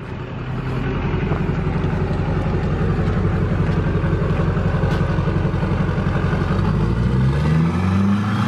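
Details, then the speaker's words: Duramax diesel truck, injector balance rates good cold: steady idle clatter with ticking, then slow, sluggish rise when revved; slow, lazy rev response, cause suspected, not confirmed. "even like right now when I rev it up it's a very slow rev like my my like my wife's truck you barely tap it's like woo you know like this one not so much"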